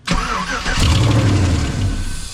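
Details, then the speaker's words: Chevrolet Silverado after ignition switch replacement and restoring fuse voltage: engine cranks, catches, runs roughly about two seconds then fades and dies because the fuel pump isn't kicking on. "So, now we're going to be chasing why the fuel pump's not kicking on. Start it up one more time. It's going to shut off and die."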